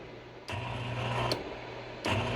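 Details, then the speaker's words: High-voltage lab corona experiment, negative polarity around 23 kV: as voltage is raised, bursts of buzzing hum and crackle on the radio increase in steps; corona discharge radio interference. "can see as I go on increasing so the noise also increases so basically you have to keep on increasing and then go lower it till this radio noise goes back again"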